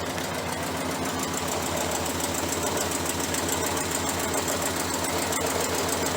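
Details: 1968 Chrysler 300 with a 440 V8, warm after running outside, with a spark plug wire found off. It idles with an uneven, loping beat and irregular stumbles, like a dead cylinder: rough idle.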